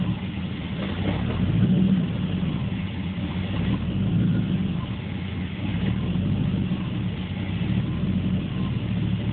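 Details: 1980 Corvette with TPI, warmed up after driving, hard to start, rough until about 15 seconds: low rumble swelling and sagging every couple of seconds between 500 and 1000 rpm; hunting idle.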